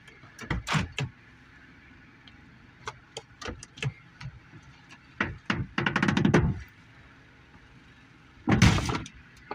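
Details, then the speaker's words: Car door after the car hit a deer, with no visible damage: irregular creaks and sharp pops each time the door opens or shuts, ending in a heavy slam; the owner suspects a small dent along the frame. "That creaking noise, that popping noise. Um, like I said, there's no real damage to the vehicle itself. But for whatever reason, now when I open up my door, I hear that weird noise."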